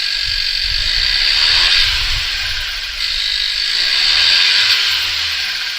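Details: 2016-2021 10th-gen Honda Civic 1.5L turbo, first start just after installing a PRL cold air intake with MAF sensor plugged back in: even idle under a loud, airy intake hiss, no knocks or misses; running fine.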